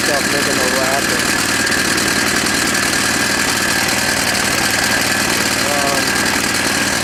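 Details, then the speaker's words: Rusted-out Craftsman snowblower, oil found very low and changed, running at steady speed: small-engine drone with loose, uneven clatter on top; owner unsure whether the noise is inside the engine or from the poor-looking pulleys. "ran it a little bit it was noisy I couldn't tell if it's inside the engine or in his crappy looking police"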